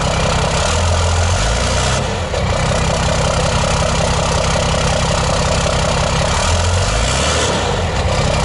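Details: 5.9 12-valve Cummins diesel swapped into a 2008 Ford F250 (formerly 6.4), first run in the truck with a steady tach: even diesel clatter at settled idle, no misses or knocks; normal idle.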